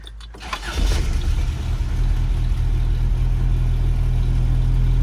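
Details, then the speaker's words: Toyota pickup 22RE after a homemade no-weld exhaust with universal catalytic converter and Amazon flex pipe: brief crank, catches quickly, smooth even low idle, no exhaust ticks or leaks; quiet and healthy, though it later throws code 27. "And I figured I'll go ahead and start it for you so you can hear that it's nice and quiet."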